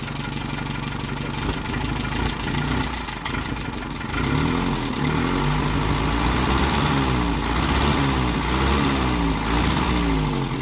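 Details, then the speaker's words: 1948 Peugeot 202 during a revival, first run on choke: rough uneven idle with a loud raspy puffing chuff and little flow from the tailpipe. Suspected exhaust leak low near the manifold, unconfirmed. "not a lot coming out the pipe it's probably all coming out to leak sounds like it's coming out right down here"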